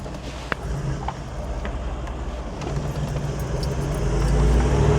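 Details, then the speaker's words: Toyota 79 Series LandCruiser diesel, cold, first drive after replacing failed turbo that caused limp mode and fluttering under load: smooth steady rumble building evenly, no flutter or turbo scream; noise fixed. "That noise is gone. Still on cold. It's not fluttering anymore. I think we fixed there."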